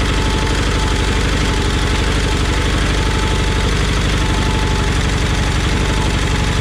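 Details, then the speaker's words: 1988 John Deere 318 with Onan P218 engine idling after start, fast even ticking over exhaust beat; terrible valve noise began weeks ago, owner suspects valve adjustment needed. "I don't know if you can hear that valve noise, but I sure can."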